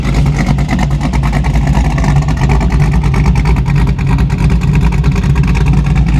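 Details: 1987 Chevy Monte Carlo SS with a 500 hp V8, warm after its first highway drive. A deep, loud burble with an even, steady beat and no knocks or ticks: normal warm idle.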